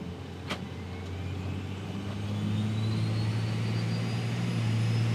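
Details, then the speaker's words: 2007 Ram 2500 5.9 Cummins on new compound turbos, Flux 103% over injectors, ARP 425 head studs, on tune 3, driven hard: climbing turbo whistle, steady chuffing about four times a second. Cylinder head lifting under boost. "Is that the downpipe or was that the head? That's the head. Oh my god. It's just picking the head straight up."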